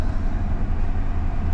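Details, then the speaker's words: 2005 Ford F150 petrol V8 after repairing break-in-damaged ignition wiring and fitting a battery: fires right up and idles with a low steady rumble, even beat, no knocks or misses. "Oh, look at that. Fired right up. I can't believe that. Wow. I can't believe it started."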